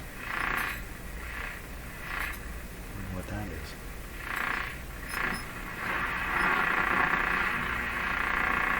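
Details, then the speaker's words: RCA Victor A38 shortwave tube radio during broadcast band alignment, tuned between stations: raspy crackling bursts pulse several times a second over steady hiss, and reception is weak. Interference from an unknown source. "that noise drives me nuts"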